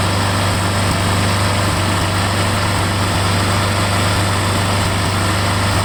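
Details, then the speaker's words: Briggs Quantum 6.5 engine after carburetor cleaning and a new primer gasket: loud steady drone with low throb and slight wavering speed, idle hunting; runs no better, primer seems not to work. Cause unconfirmed. "Well, I got it all back together and I started it up, and really doesn't seem like it's running any better."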